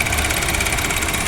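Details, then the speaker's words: Honda Jazz GK idling with AC on, mic near AC compressor: fast busy rattle with a thin high ring coming and going; mechanic unsure whether compressor itself or compressor clutch bearing. Cause unconfirmed. "อ่ะทีนี้มีว่าจะเป็นที่ตัวคอมหรือว่าเป็นที่ลูกปืนหน้าคลัชนะครับผม"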